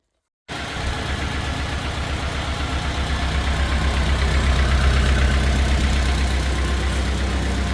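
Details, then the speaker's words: 1950 Farmall Cub small petrol engine after rebuild with pop-up pistons, first startup at idle: light quick tick, tick on each firing pulse from two loose exhaust manifold bolts leaking exhaust; tightening them fixed it. "So the first startup that I did on it, the last video you guys heard, or the last part of this video, you heard that little tick, tick, tick, tick, tick sound. The exhaust manifold, these two right here were just a little loose, so I had to tighten these both up."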